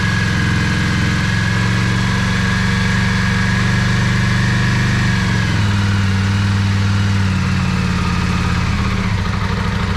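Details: Yamaha Virago 535 V-twin after carburetor rebuild, bigger jets, gas-leak fix and battery charge, previously running on one cylinder; steady lumpy idle beat with faint whine, both cylinders firing, better throttle response: normal running.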